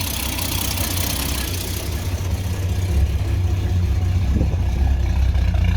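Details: Ford XG ex-police divisional van, started after retightening the exhaust manifold: quieter than before but uneven, loping, slightly rough idle with a puffing, ticking edge; exhaust manifold leak remains. Owner may replace the manifold or fit extractors.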